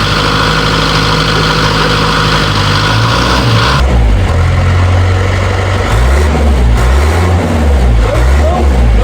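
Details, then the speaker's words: Series 2 Land Rover diesel at idle on first start in three years, on 3-year-old fuel, with a new starter motor fitted and a weak battery. Loud, steady, low clatter, even rhythm, no misses or hunting: normal diesel idle. "Petrol engines are nice, but nothing sounds like a diesel. See the diesel moving in there. 3-year-old diesel. But she's running sweet as a sewing machine."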